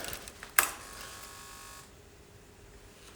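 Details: 2007 Honda CBR125R, not running after two years outdoors, fuel pump suspected of not pumping: at ignition on, a click, then a thin electric whir for about 1.5 seconds before falling quiet; normal fuel pump priming.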